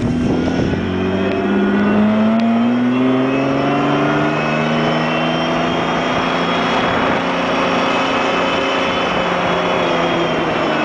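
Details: Mazda MX-6 KLZE petrol V6 revved up and down with a whine rising and falling in pitch with engine speed; cause unknown.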